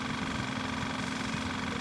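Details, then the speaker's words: Kawasaki KLF 185 ATV electric fuel pump bench-run on a weak battery with charger, pumping gas into a glass jar to flush gunk; even steady buzzing hum, no surging or sputtering; fuel coming out clear, normal. "That keep coming out of there pretty clear, which is good. That's exactly what I want, just to get the gunk out of the actual pump."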